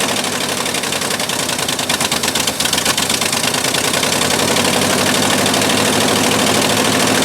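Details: 1958/59 Ford F600 grain truck, 330 V8, unrun for years, started after refitting the carburettor float: cranks, catches with a few uneven beats, then settles into a steady, fairly even idle with no misses.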